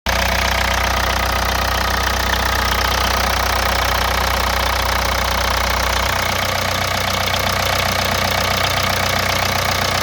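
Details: Hyundai Santa Fe DM 2.2 diesel, cold start at idle: sharp regular knocking at about four per second that shifts partway through and disappears after 3–5 minutes warm. Owner suspects hydraulic lifters; unconfirmed.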